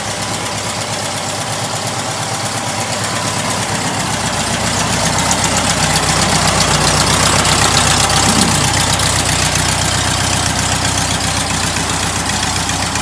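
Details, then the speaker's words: Stock air-cooled VW flat-four sidewalk motor, first start after build: steady, even idle with smooth exhaust beat and no knocks or misses; tailpipes have an odd sound; normal idle. "Yeah. Runs good, man. It's a good stock motor. Yeah, it sounds good."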